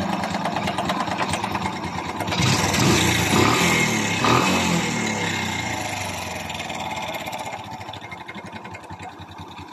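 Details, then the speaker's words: Kawasaki Bajaj CT 100 single-cylinder motorcycle: fast, fairly regular metallic rattle over the idle that swells with revs; mechanic judges it the timing chain, suspecting it is stretched or slack, and plans removing the two timing chain cover bolts. "Now, baba na yung kabulan ng para sa akin, yung tunog na yan ay timing chain."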